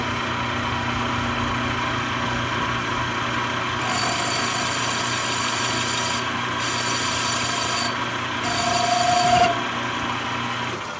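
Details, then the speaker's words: Manual lathe running in reverse, cutting a radius with a 1/8-inch full-radius tool on a Harley-Davidson FLH belt-drive pulley; hissy cut breaks into a rising squeal as chatter starts from excessive spindle speed. "little too fast, you can hear it starting to chatter there, so we're going to slow this down."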